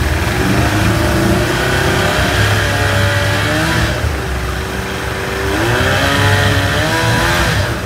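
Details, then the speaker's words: 1990s 30 hp Evinrude outboard warmed up after fixing lean sneeze and fuel leaks, light revs: pitch rises and settles smoothly, no sneezing or stumbling; runs clean as it should. "perfect that's the way it should run warmed up"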